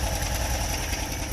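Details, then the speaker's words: Little blue bug after a quick idle adjustment that lowered a high idle with the idle screw: steady, even single-cylinder putter with no stumbling or hunting; the idle is now properly set. "yeah that idol's nice now"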